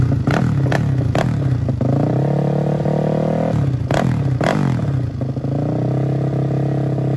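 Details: Freshly built custom 300cc big-bore Honda Grom engine with stroker crank, first start-up before dyno tune: sharp blips and clattery bursts, then an unsteady idle drifting in pitch; rough running, needs tuning, still stalls when cold.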